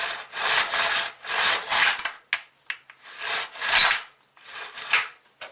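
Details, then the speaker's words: Craftsman four-cycle mini cultivator, just fitted with a new carburetor: several raspy rope pulls that rub and rattle with no turnover, so the recoil starter isn't engaging. The owner suspects it is seized or rusted, not yet confirmed. "i'm have to take this off and see why this starter doesn't engage anymore it's probably just seized up rusted just like everything else"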